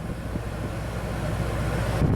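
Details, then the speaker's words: RV roof AC (Xplorer) running on battery at full cold: steady low fan and compressor hum, no rattles or cycling; compressor running well, air getting cold. "I just heard the compressor come on so we're gonna feel if this thing gets cold I hear the compressor running really good and I feel the air getting cold alright that is great"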